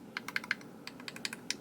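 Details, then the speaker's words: Eleaf iStick 100W vape mod after disassembly and button rattle fix (insert slid in behind buttons against PCB): crisp, firm button clicks in quick bursts with no loose rattle. "and yeah that's it so now you have much more solid buttons"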